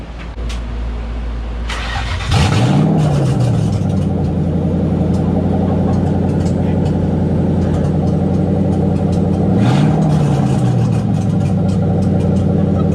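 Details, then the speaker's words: '97 Ford Mustang Cobra on stands during removal of an exploded clutch, run with the exhaust open at the headers: it starts, blips twice and idles with a loud, raw, unmuffled bark and flutter, open header exhaust noise. "all right guys so this exhaust clip is gonna be with open headers and i am i'm also terrified"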